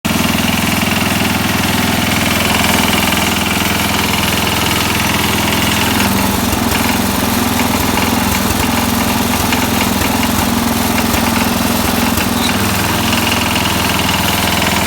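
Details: 1969 SS12 Hydro small petrol engine running steadily with an uneven, intermittent knock that shifts with engine speed and is RPM- and PTO-sensitive. Cause undetermined; owner thinks it may need a rebuild.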